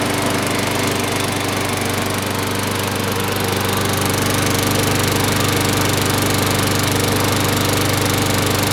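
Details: Sears Craftsman lawn mower, model 917.370610, on its last start after washing, an oil change and oiling the sticking wheels and gears (air filter not yet replaced): steady, even single-cylinder drone with no misses, surging or knocks; normal running.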